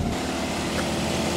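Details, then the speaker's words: 1954 Austin A30 barn find, laid up since 1971, first start in 52 years after an earlier no-compression failure: a steady, even low four-cylinder idle with no knocks or misses that sounds healthy, before warming up. "oh that sounds nice excuse me I need to show me mates as well that sounds all right now"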